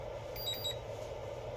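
A couple of quick high-pitched beeps over a quiet room: the charger's error alarm because the battery balance lead isn't fully seated.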